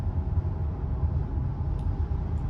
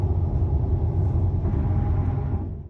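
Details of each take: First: 2019 Subaru WRX STI at 16,654 miles, driving above 60 mph on highway: steady low buzzing drone under road noise, pitch changing with speed, apparently from the rear; wheel bearing drone, rear bearing later replaced. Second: 2019 Subaru WRX STI at highway speed after a rear wheel bearing replacement under warranty for a buzzing drone above 60 mph: only low, even road rumble with no buzz, growl or whine. Normal road noise.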